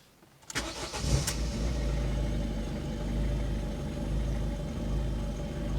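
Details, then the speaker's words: Ford Fiesta Mk6.5 1.6 TDCi (1.6 HDi) right after glow plug replacement: a brief crank, then it fires at once into an even, steady diesel idle without stumbling, with a little smoke; a much better idle after the repair. "Little bit of smoke. Oh, that's a much better idle."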